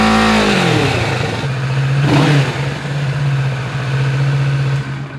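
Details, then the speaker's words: Kawasaki Ninja 650 parallel twin on stock exhaust, before Delkevic full header-back exhaust install: quick rev falling smoothly back to steady idle with even burble, no rattles or misfires; healthy. "We're gonna be doing a before and after comparison. So this is what the bike sounds like beforehand with the stock exhaust."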